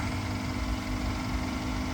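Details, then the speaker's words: 2014 Mercedes S550 W222 Airmatic air suspension compressor: steady even pump hum with no knocking, running after the car was lowered and now raising; the pump would not kick on while up in the air, so it was the pump. "All right, you hear the pump running. So when it was up in the air, the pump wouldn't kick on. It didn't kick on until I lowered the car. Now the car is raising up."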